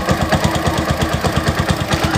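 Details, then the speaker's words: Suzuki Shogun SP 125 FL motorcycle, just acquired, kick-started: steady single-cylinder idle with a light regular tick on each firing pulse, about eight per second; source not yet found, to be analysed. "bongkar soalnya saya baru dapet saya baru dapat kemarin ini suaranya mengetik kata nanti kita analisa suara ngelitik ini apa ya guys"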